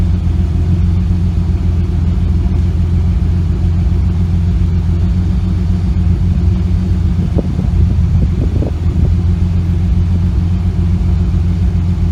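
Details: Engine with a slight misfire that began after a nitrous backfire: deep steady idle rumble with a few uneven stumbles midway, the rhythm faltering now and then.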